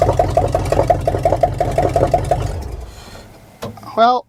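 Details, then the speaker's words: 1979 Chevrolet K20 after sitting 30 years: uneven, lumpy pulsing engine note that then dies away; runs rough, owner unsure whether it's just the exhaust, cause not confirmed. "um sh don't sound the best I don't know if it's just the exhaust or what the deal is but it is one sketchy SOB to drive"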